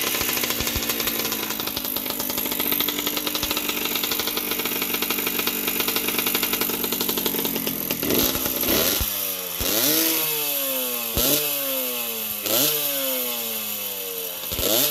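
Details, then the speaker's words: 1981 Yamaha YZ60H two-stroke, carburetor cleaned of dirt and spider webs, warmed up: crisp even idle with several quick throttle blips rising and falling cleanly, running well, some oil through the exhaust. "Otherwise it starts, it idles nicely and just let it run for a while and clear out all the spider eggs."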